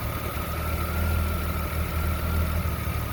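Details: Jeep Comanche 4.7L stroker with a deep, lumpy idle surging and dipping unevenly every second or so; rough idle, cause not pinned down.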